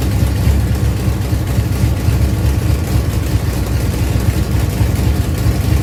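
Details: Ford Pinto drag car with a rebuilt Holley carburettor, after backing off the secondary throttle stop, holds a steady, even low-rumble idle on its own with no misses or hunting.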